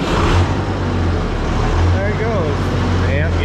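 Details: Ford 6000 diesel tractor just started after alternator install, amp and trans gauge lights going out as it charges: steady, low diesel rumble, even at idle with no knocks or misses; normal idle.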